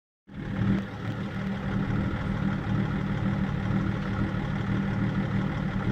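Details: BMW E39 530d diesel, rough idle being checked with INPA values: clatter at idle with a low rumble that wavers rather than holding dead even; idle sounds rough.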